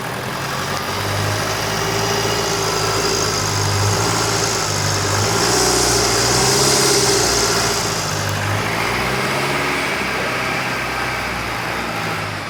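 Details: Rebuilt Duramax 2.8 16v turbo diesel from a 2018 GM S10, run after final assembly: steady, even diesel clatter at idle with a constant turbo hiss above it; no knocks or misses, runs healthy.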